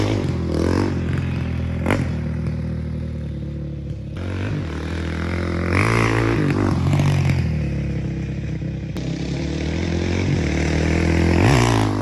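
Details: 2005 Honda CRF450X, sat 10 years, after needle richened one notch, main 190, pilot 45: single thumps cleanly, picks up crisply on each throttle blip without bogging or spitting; normal running.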